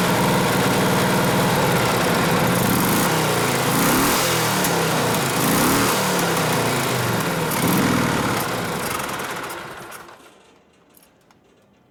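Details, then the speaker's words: 1967 74ci Harley shovelhead FLH, newly assembled, first start with choke about half off: loud uneven V-twin beat fades and dies near ten seconds; probably running lean in the mid-range because it was running out of fuel. "Runs like shit without gas. Yeah. That's probably why I was leaning out in the mid-range there. It was running out of fuel."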